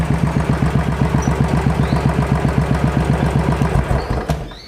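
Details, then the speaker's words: Royal Enfield Classic 500 fuel-injected single, which stalled several times on the road and backfires on deceleration with MIL lit: slow thumping about four beats a second, sagging and fading, nearly stalling; idle speed set too low, to be adjusted via diagnostic tool. "Jadi langsamnya kayak kekecilan."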